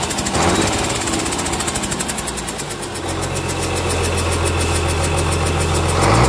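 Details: Komatsu S6D125 six-cylinder diesel test-run after general overhaul: steady clatter at a fast even rate settling into a smooth drone, then blipped up near the end; normal running.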